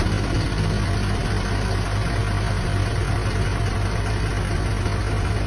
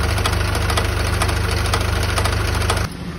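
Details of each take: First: 2022 Isuzu QL diesel with a steady, even idle, A/C on, and no knocking, grinding or squeal, after replacing a noisy, knocking A/C compressor that had run low on oil, plus a new filter dryer and vacuumed lines. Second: 2022 Isuzu QL with A/C on: heavy rhythmic knocking over the running engine stops when A/C is switched off; compressor starved of oil, compressor replaced.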